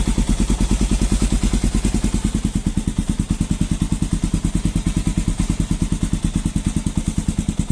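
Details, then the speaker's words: Falcon motorcycle engine on a cold start in the morning; strong even thumping about three beats a second with a light clatter on top; mechanic says it is the engine's compression valve and normal, fading once warm. "levei no mecânico e o mecânico me falou que aquilo era normal Aquilo é a válvula de compressão que tem na no motor da moto"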